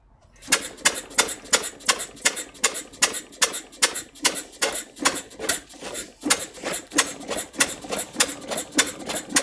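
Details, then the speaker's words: Jumbo-scale Westbury Wyvern open-crank stationary engine, probably built around 1985, first start on choke: sharp single firing beats about two and a half per second, slow and slightly lumpy; owner suspects it is over-choked, running rich. "that was a positive sound the sort of noises we want to hear it and it's why I think that might have choked it a little too much"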